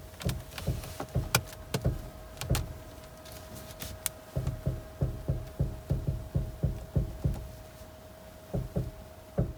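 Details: Suzuki Swift Sport (ZC33S): irregular dull clunks and knocks when the steering is turned lightly at low speed; not heard at higher speed; source not yet found.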